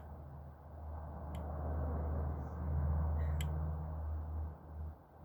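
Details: Celestron 11-inch EdgeHD telescope being focused: two sharp, isolated intermittent clicks a couple of seconds apart over a low outdoor rumble.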